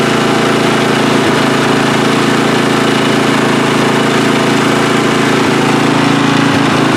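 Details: Free riding mower, engine test after gas tank was drained and fuel added; it was flooding and backfire was feared before starting. Steady, even drone holding constant speed with no misses, surges or knocks: running cleanly, normal running.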